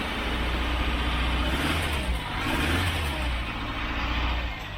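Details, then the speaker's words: Rebuilt Toyota 22RE after distributor reset one tooth and timing set to 5 degrees: lumpy, stumbling revs rising and sagging unevenly, one cylinder misfiring, traced to a loose injector connector. "timing is set but she still doesn't run right there's clearly a misfire in one of the cylinders"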